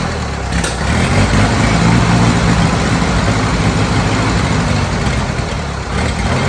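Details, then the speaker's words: Old Bobcat 610 skid steer, Wisconsin petrol engine with old carburetor just opened: low uneven idle that stumbles and hunts instead of settling; owner thinks it picked up water in the carburetor and plans fresh gas from a makeshift tank. "think we picked water up already in that carburetor. Dang it!"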